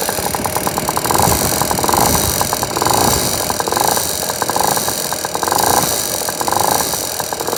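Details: Piaggio NRG two-stroke scooter after new 70cc big bore kit, new crank and crank bearings: fast, regular metallic top-end ticking at idle over the exhaust buzz; head removed, piston not hitting.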